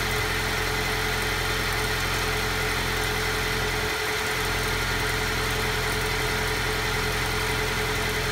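Idling engine with a slightly uneven, wavering beat and a brief dip midway, suggesting a rough cold idle.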